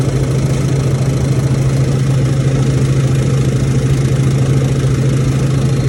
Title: KAIRAK TABLE TOP MAKING NOISE.